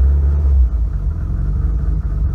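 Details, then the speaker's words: Subaru Impreza GC8 2.5RS after a failed dyno tune, smelling of raw gasoline and undrivable even in the parking lot: a deep, uneven rumble that sags and catches on its own without throttle feathering. Stumbling and bogging under throttle, cause unknown. "so does not even want to run listen to that thing listen to it that's not me Feathering the accelerator"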